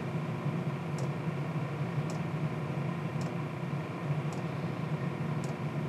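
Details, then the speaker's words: Chinese diesel heater test with fuel damper fitted, around 60 dB, less smoke than before: steady low combustion-fan hum with crisp fuel-pump tick roughly once a second; normal running. "carbon monoxide's much homogeneous uh it doesn't appear to be smoking as much as it uh did before"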